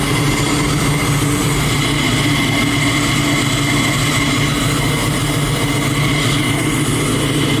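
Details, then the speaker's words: Twin-turbo Chevy Nova on methanol, first start after two months of problems, no coolant running and engine temp about 127: a loud, even V8 idle with a low rumble and a steady whine, no knocks or misses. Normal idle. "Oh, it sounds fucking killer. It's gonna be a beast."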